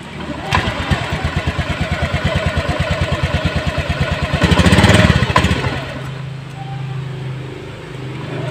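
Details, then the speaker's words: Honda Beat Eco injected scooter stalling by itself, dying when throttled, powerless, late throttle; TPS low-voltage code and injector code 12, TPS reading 0.02 V; uneven idle, lazy rev surging then sagging nearly dying: chafed TPS sensor wire. "motornya eh sering mati sendiri kemudian ketika digas mesin malah mati tidak ada tenaga ngempos dan gasnya telat"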